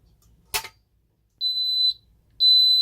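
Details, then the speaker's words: Ademco 6128 keypad with the carbon monoxide zone triggered: after a click, shrill half-second beeps in the temporal 3 pattern while the display shows alarm 04. "You can hear with this, it does the temporal 3 beeping, and it just says alarm 04."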